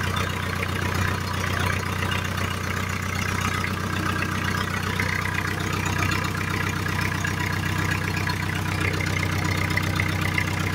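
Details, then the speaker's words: Ford Fiesta 1.8 after alternator screw refitted, new belt and oil topped up: smooth, even idle holds steady with no ringing, rattle or knock from the front of the engine; the earlier ringing and plastic-contact noise are gone. "bueno vemos Que arrancó quedó bárbaro no hace ruido no hace como antes que hacía un ruido a campaneo ni tampoco el ruido que hacía tocando lo que es plásticos y demás"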